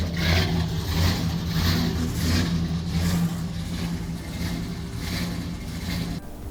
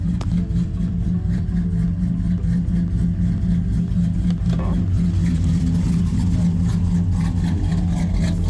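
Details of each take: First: V8 truck with an aggressive camshaft, in closed loop on oxygen sensors before tuning: lumpy idle surging and hunting about once a second, choppy and worsening; running rich (negative fuel trims around -15%), fuel to be cut about 20% in the VE table. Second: Truck with aggressive camshaft, after fuel tune corrections with HP Tuners: steady even rumble at about 700 rpm, fuel trims near perfect, no misses or stumbles; normal clean idle.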